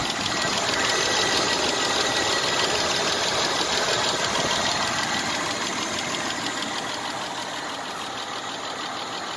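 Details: 1996 Isuzu Trooper after 50 miles with Seafoam in the engine oil: a light, even tick about three times a second over a hissy idle. It is less sharp than before the Seafoam but still present; valve lash noise, lifter tick.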